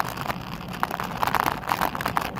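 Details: Xiaomi Pro 2 electric scooter ridden: short, irregular mid-pitched squeaks and creaks over rolling noise; fixed with drops of synthetic machinery oil at the joints. Squeaking from dry pivot points.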